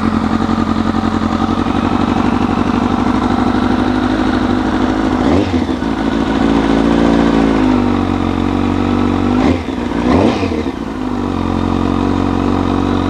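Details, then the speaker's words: Street fighter motorcycle build, final mockup, first start in 233 days after being crashed at track, outdoors with fresh gas: steady even idle with two or three clean throttle blips returning smoothly; engine sounds healthy. "Man, that felt fantastic to hear this thing run again."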